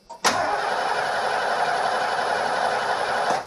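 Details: 1989 Ford E250 Econoline van, suddenly lost spark: starter cranks the engine steadily about three seconds, never catches, unburnt fuel smell. Crank no-start with no spark.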